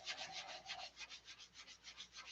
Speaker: you can hear it grinding. And you wouldn't think, well, how can 5,000 grind? Well, it certainly will.